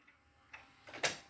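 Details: Sony CDP-CX455 400-disc CD changer switching to disc 2: light carousel clicks then a short whirr as disc spins up and reads; changer sounds normal.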